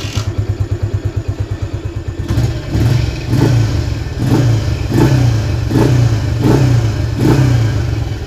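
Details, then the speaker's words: Motorcycle not run for 3 years, weak starter and battery, after engine reassembly and carburetor setting: quick lumpy idle settles into steady throttle blips about once a second, pulling cleanly without knock; exhaust smokes, likely old oil. "Okay, starter tak larat bateri tak larat Motor ni dah 3 tahun tak hidup. So kita hidupkan balik."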